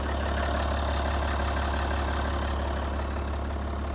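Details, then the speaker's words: Abandoned 1981 International semi truck, started for the first time in a long time: fires right off into a steady, even diesel rumble at about three beats a second with no knocks or misses; a healthy idle. "So, it kind of fired right off."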